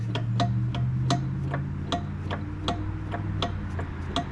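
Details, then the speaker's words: John Deere Scott's 20/48 lawn tractor at idle after throttle cable fix: sharp, regular knock about 2.5 per second over steady engine hum; owner first suspected rod knock near flywheel but felt no block vibration, then traced noise to the PTO. "Yeah. Okay. It's the PTO. That's odd. It makes a lot of noise."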